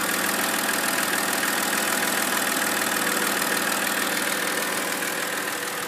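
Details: 2007 BMW X3 E83 with 2.5 L N52 engine at idle: fast, fairly even light tapping about three per second over the engine note; knock of unknown origin.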